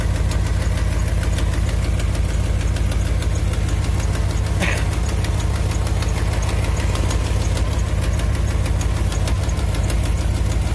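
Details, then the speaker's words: 2001 Dodge Ram 1500 4x4 V8 at idle, before repair: sharp regular tick about three per second, which the owner places at the back of the exhaust manifold. Exhaust manifold leak. "You can hear where it's leaking at. Right off the back of that manifold. I'm pretty sure that's where it's leaking at."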